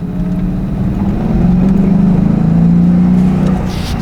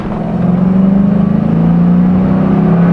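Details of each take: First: 2001 Ford Mustang GT after fixing a high idle that used to hang at 3,000 rpm; revved to high rpm then shifted into neutral with A/C on; revs fall back and settle to steady idle around 1,000 rpm, no longer hanging. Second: 2001 Ford Mustang GT V8 in neutral holding a steady raised drone at about 2500–3000 rpm instead of idling, from a faulty idle air control valve.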